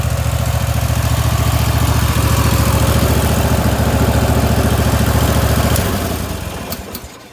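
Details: Wright Stander X stand-on mower, just finished restoration/revival and rewired with a substitute ignition switch: steady low thumping at a regular firing beat for several seconds, then winds down and stops; normal running.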